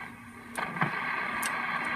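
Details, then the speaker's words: Gilfillan valve radio after replacing aging B+ supply electrolytic capacitors (jumpered in), volume up, no antenna: only a soft even hiss, the previous AC hum gone; clean output. "there's the volume turned up again I don't have an antenna hooked up to the radio but you can hear now just the uh the clearness there and the hum impairments that we had before are uh are gone which is to be expected"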